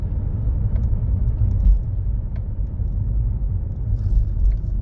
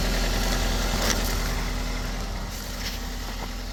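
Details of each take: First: Toyota automated manual (Aisin robotized) gearbox: deep driving rumble with uneven knocks in 3rd gear strongly, 4th less; suspected worn synchronizer, gearbox to be removed and rebuilt with synchronizer and gear washer replacement. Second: Toyota with Aisin MMT robotised gearbox after replacing 3rd/4th synchroniser and adding shims under gears, fixing knocking and crunching in 3rd and 4th: steady, even low idle, smooth unbroken beat, no knocking or crunching.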